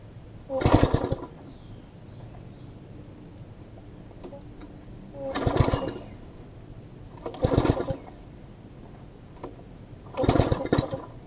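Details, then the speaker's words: MTD front-tine tiller, long sat unused, plug getting wet, spark plug swapped: four pull-start attempts each give a short popping burst that dies at once, firing but not running; flywheel key next suspected; cause was misconnected throttle linkage at the carb. "we'll know if it is spark related or not I mean it's still it's still hitting like it wants to fire"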